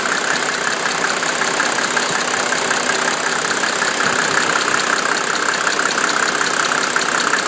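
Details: 1987 Mercedes 300SDL diesel, 119,000 miles, number 15 head, warm idle at 80 °C: light sharp tick two to three a second fading in and out until driven a few minutes; owner wonders injector, vacuum pump, sticking valves or timing chain.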